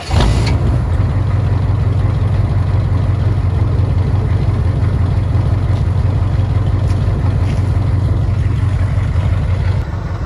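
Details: 1985 Suburban with 6.2 Detroit Diesel, warm startup: deep, even diesel rumble holding steady at idle with a regular low beat. Normal, smooth diesel idle.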